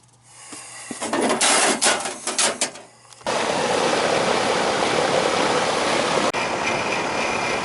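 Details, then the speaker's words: Rheem AC condenser running after repair of a low-voltage short at the contactor that had blown the air handler's step-down transformer: steady even rush of fan air over a low hum, no clatter or cycling; charge possibly low. Normal running. "there's the condenser hear it this is the condenser right here AC"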